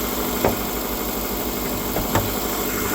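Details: Copart Subaru bought unseen with about 188 miles shown, accident-damaged but running: steady, even idle with no knocking or ticking, a couple of brief clicks from nearby handling; the motor sounds okay.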